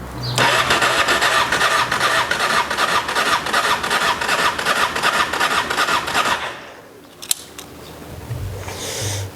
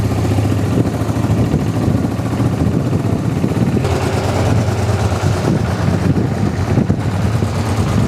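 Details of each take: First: Honda XRV750 Africa Twin carbureted, stored 10 years, fresh gas, choke on: starter churns steadily about six seconds at roughly two and a half turns per second but never catches; fuel pump not powered, later found to be a corroded fuse. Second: Honda XRV750 Africa Twin just revived after 10 years stored, running on reserve fuel after corroded fuel-pump fuse; steady, even low burble, no misses or knocks; smooth, healthy twin idle.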